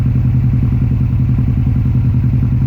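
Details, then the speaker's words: 2006 Subaru STI with aftermarket newer-STI turbo, car shaking; loud fast chuffing pulses under low rumble, pressure and oil pushed out, blue smoke; owner suspects turbo failure pushing compression back rather than head gasket. "So the car is shaking a lot. Okay, and compression is coming through here."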